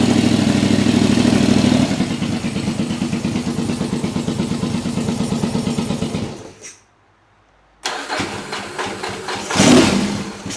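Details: Yamaha XV1000 Virago V-twin high-compression build, 750cc heads on the 1000cc engine, about 180 psi, cold early-morning start: fires into an even lumpy beat, stops, restarts with clean revs and a backfire from excess fuel, nothing knocking; runs well.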